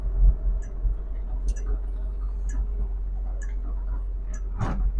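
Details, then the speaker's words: 1972 Triumph Spitfire on a road drive: a crisp click about once a second over low road hum; the turn signal flasher working normally. "If you can hear the clicking, that's the turn signal."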